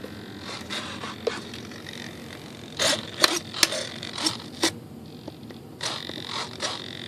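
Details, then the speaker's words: E-flite T-28B Trojan rudder servo after gear repair with wrong-size replacement gears: short bursts of high rough chattering on power-up as the gears fail to mesh and skip teeth. "So that's always a bad sign when it wants to do funny things like that. Do you hear that, guys? Didn't mesh properly."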